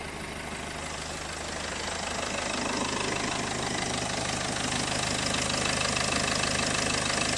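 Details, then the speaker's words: Peugeot 406 2.2 HDi diesel idling on a freezing morning, undertray off, listening via hose: light, quick chirp about three times a second over the clatter, coming from the clutch pulley on the alternator. "I'd send a little chirping sound here is actually the clutch on the end of the alternator"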